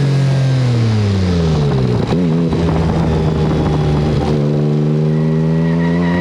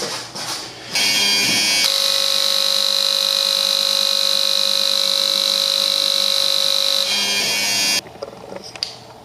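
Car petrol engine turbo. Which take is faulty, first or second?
first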